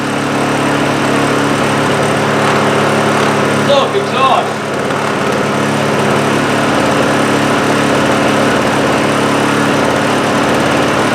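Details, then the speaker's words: Honda EU2000i inverter generator after repair with a new muffler and exhaust gasket; it previously ran only a second. A soft, even, quiet hum with a brief disturbance midway: normal running. "it is pretty quiet isn't it that's the Eco throttle wow it really is quiet"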